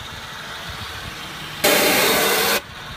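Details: 2009 Acura MDX after idling a few minutes: a sudden loud hiss bursts from the engine bay for about a second, then cuts off; cause unknown.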